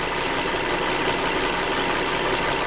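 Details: Hyundai Creta at about 40,000 km, idling after a Liqui Moly flush was added, old oil said to be 5W-30: fast, even ticking clatter over a steady idle; engine runs stable but seems slightly choked, valvetrain noise suspected, not confirmed.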